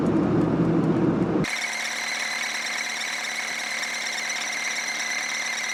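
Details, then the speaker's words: 45-year-old VW Golf Mk1 diesel: constant high-pitched squeak steady over the running engine without changing pitch; lubricant spray on water pump briefly silenced it, owner suspects water pump or its pulley, unconfirmed. "As you can hear, I think you can hear it pretty clearly that the sound is still very much there. I don't know what exactly makes the sound. I'm pretty sure it's has to do something with the water pump."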